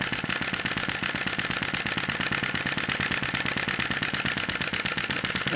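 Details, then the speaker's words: Sai Hu V1-45 flame-licker vacuum engine, brass cylinder, piston and flywheel, hot, running with a smaller flame: quick, even, crisp puffing beats at a steady typical speed, no stumbles or misses; normal running. "it's running pretty well with the smaller fire this outside frame and that is not heating up as bad this is a typical speed for this engine"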